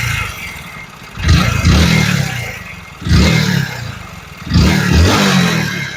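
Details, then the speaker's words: Hero Splendor BS6 motorcycle, 35,000 km of delivery use: three revs, each with a deep rough clatter underneath; crankshaft knock, engine worn out. "तो गाड़ी कुल 35000 kilometre चली हुई है और इस गाड़ी के इंजन में से क्रैंक की आवाज आने लगी है"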